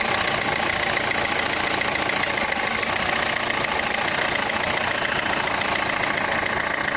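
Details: Renault Clio 3 1.5 dCi 105 hp diesel at idle: a dense, hard clatter throughout with no smoothing, described as a sound in the injectors, pointing to injector knock.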